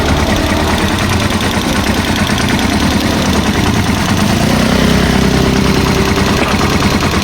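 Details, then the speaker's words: Small single-cylinder tricycle engine idling, light steady ticking from the valve cover about three taps a second, louder and following revs when revved; valve tappet ticking from excess valve clearance, owner plans a tune-up and oil change. "Rinig na rinig yung lagik ng mga bulve. Ayan kung mapansin niyo."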